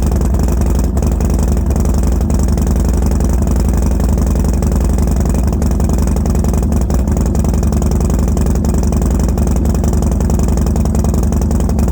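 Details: 2012 Harley Dyna Street Bob with Fueling 543 Reaper cams, Bassani Road Rage 2 exhaust and a dealer tune, at first cold-start idle: deep uneven V-twin thump with backfiring pops, wanting to die; runs OK when warm.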